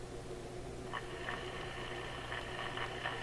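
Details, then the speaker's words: Sparton Model 67 vacuum tube radio after replacing the paper/wax capacitors and adding line filter capacitors, run at about 80 V (75% of line voltage) through a series light bulb. Steady low hiss, faint hum, soft chirps: normal receiver static. "okay it sounds like a radio receiving noise"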